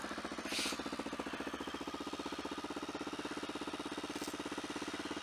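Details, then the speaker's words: Motorcycle warming up from a cold start in winter: steady pulsing beat near two per second over the idle, an odd vibration heard only on startup, cause unknown; headers due for replacement. "I'd love to know what that vibration is. Don't know if you can hear it. It's only on startup, it's a bit odd."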